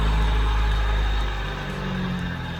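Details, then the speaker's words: Proton Satria 1.3 with a jerking idle; plug lead No. 1 is pulled. Heavy low rumble sags and roughens, almost stalling with that cylinder cut, so the cylinder and its plug lead work. "Kalau kita cabut kabel ni, dia bunyi dia macam ni, maksud kabel ni tak ada masalah lah. Kalau dia bunyi dia stabil, maksud kabel tu yang masalah."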